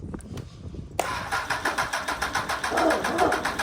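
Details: Honda Hornet motorcycle engine with old fuel, battery on charger and fuel light flashing: starter spins in quick even pulses, three or four a second, for nearly three seconds but never fires; owner suspects low battery voltage, fuel pump or airbox issue.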